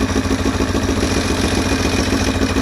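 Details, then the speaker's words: Motorcycle bought for a bobber-style build, idling poorly on choke and likely to stall: fast, even light ticking over a steady idle, a valvetrain-type tick the owner calls a valve tick; cause not confirmed. "well actually let's fire it back up one more time so you can hear the valve tick"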